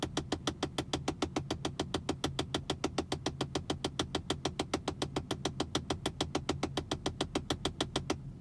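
Sharp, even ticks about three and a half per second, steady throughout with quiet background; a ticking from behind the glove box, source unknown.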